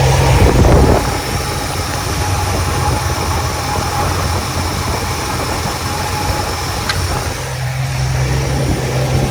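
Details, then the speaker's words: 1977 Mercury Cougar XR-7 V8 after adding 5 gallons of fresh gas; uneven, wavering idle with occasional stumbles, only slightly better; owner suspects old fuel in the tank and plans to add more fresh gas. "it's still pretty bad I think what the right thing would be to do what yeah would be to just put more fresh gas in the tank and see if that fixes the"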